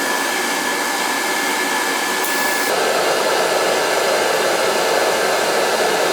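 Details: Riello oil burner firing up during annual service, with thermostats jumped out: steady, even roar with a faint high tone and a slight step up as the flame settles; lights cleanly and runs smooth.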